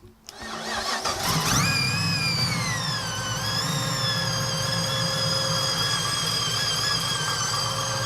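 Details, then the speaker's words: Chevy Nova pro touring build with a supercharged V8 on a cog-drive blower, dyno tuned; a short crank, then it catches, revs, and the whine rises and settles into a smooth idle. Healthy blower whine, normal. "Hard to see, but cog drive on the supercharger got a nice whine to it. Sounds really good."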